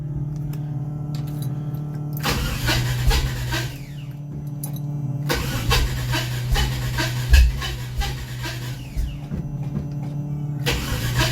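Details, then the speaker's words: Supercharged 392 HEMI DeSoto started cold after sitting a few weeks; its plugs were running very rich and wet: it blips, stumbles and burbles unevenly. Owner suspects timing or mixture. Rough running on cold start. "This thing probably will not be happy because it hasn't been started in a few weeks."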